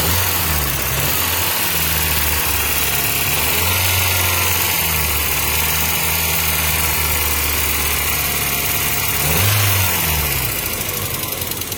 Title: What is that noise? 1995 Mazda Miata 1.8